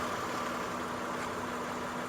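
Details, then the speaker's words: 2004 Honda Odyssey EX after a power steering pump noise fix (pump O-ring replaced with a Harbor Freight R-08 O-ring), engine warming up after a short test drive: smooth, quiet idle with no whine or groan from the pump; problem fixed. "i drive couple blocks and i don't hear that noise from the inside of the car anymore let's check the outside okay there it is no noise okay so the problem is fix"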